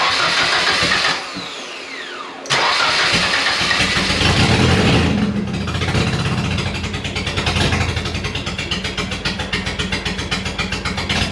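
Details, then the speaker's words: 1989 Nissan 240SX single-cam engine, started after fixing a serious intake leak behind the MAF; lumpy, uneven idle with irregular stumbles that smooth slightly with revs; runs a little better but still misfires at low RPM. "So it doesn't run that much better. It runs a little bit better. You can tell it's trying to idle a little bit better, but it's still misfiring at low RPM."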